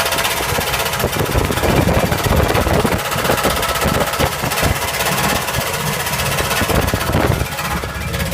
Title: 1977 Camaro weird engine noise